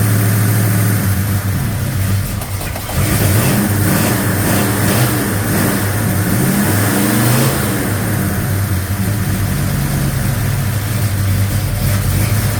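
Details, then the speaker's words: 1956 Chevy Bel Air 307 V8, after fixing loud diesel-like valve train noise caused by mismatched valve springs and retainers, running rich: steady even idle with low rumble and brief blip, no valve train ticking; quiet, normal. "Retainers. Listen to that. Quiet. It's quiet. It's quiet. Sounds good. Smells rich."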